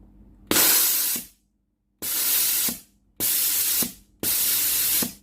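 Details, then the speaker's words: Philips GC9622 steam iron, solenoid water valve tested via a connected pipe: four strong, even hissing steam bursts about a second long with clean cut-offs; full, healthy steam output, valve normal. "When the steam is out, I will press it to see the strength of the steam."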